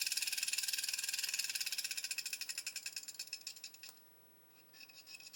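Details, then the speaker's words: Hachette Avro Lancaster B.III model motor tested via connector A in socket M on the circuit board: thin, even high-pitched buzz, then switched off and fades; motor spinning freely and healthy. "Oh, that one works. Look at that, success, first time."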